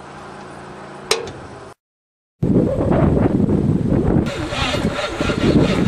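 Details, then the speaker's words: 1978 Monte Carlo 305 V8 in a 1963 Allis-Chalmers loader, parked 5.5 years: starter turns engine over unevenly at about four beats a second but it never catches; owner suspects battery connection or seizing motor. "Well, I think I gotta see if it's a battery connection or a seizing motor. No luck so far."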